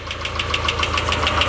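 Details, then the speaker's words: Nissan 240SX S13 KA24E, first start in 6 months, cold, some smoke: light even tick about seven times a second over steady idle, settling in; owner suspects tick from sitting long, not confirmed. "Also, the tick noise is kind of settling in. I think it just sat for so long, you know what I'm saying?"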